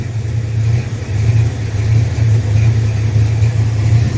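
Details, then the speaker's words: 1979 Ford F150 V8 after rebuild, warmed up: deep, even burble at steady idle with no misses, knocks or hunting; lumpy cam rocks the truck; idles smoothly. "so it'll sit there and idle all day long at that point right there that's what it sounds like"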